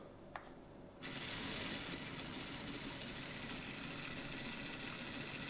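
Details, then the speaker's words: Hornby/Lima model locomotive with ringfield motor replaced by a CD/DVD drive motor in a 3D-printed adaptor, gears lightly oiled: light, even high-pitched whirr with faint gear ticking at low speed, quieter than the ringfield, no binding or grating. "Okay, brilliant. So it's working well. It's definitely quieter than Ringfield. No sign of any binding or grating, and we wouldn't expect any because we don't have that bearing or potential bearing issue."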